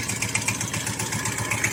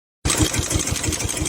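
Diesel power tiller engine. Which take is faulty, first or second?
second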